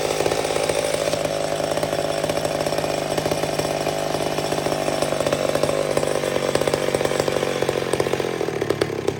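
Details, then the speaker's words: Old McCulloch Super Pro 70 chainsaw, richened slightly after a pulse line fix (gasket sealer suspected), no longer racing up and down: high steady buzz slowly falls and settles to an even idle. Normal return to idle for an old saw. "but they're funny they have little minds of their own that thing settled right back down again it's just it's just what these old things do"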